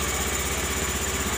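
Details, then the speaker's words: Honda Beat FI injection scooter that was very hard to start and would not start, after injector replacement: steady, even single-cylinder idle with regular beat and no misses; normal running restored. "alhamdulillahirobbilalamin sembuh ya bisa hidup ini"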